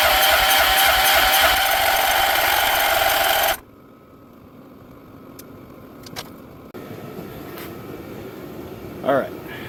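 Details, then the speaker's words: Wheel Horse with Kohler 14hp Magnum swapped in for Tecumseh HH100, choke and throttle on: starter turns engine at steady even chug about three seconds, never catches. Fuel reaches filter but owner suspects fuel pump stuck, not pumping. Cranks but will not start. "And we're not pumping fuel. Seems to be our fuel pump is stuck in one position or the other."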